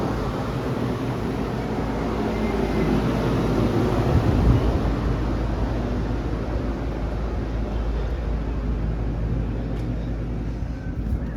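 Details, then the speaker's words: Home inspection check of the outdoor AC condenser unit after the AC was turned on: steady, even low whoosh of condenser fan and compressor with no knocks, rattles or squeals; runs exactly as an AC should, normal operation. "And then go back to the outside and see what the AC sounds like. Make sure it's not making any strange noises. Yeah, that sounds good. That's exactly what an AC should sound like."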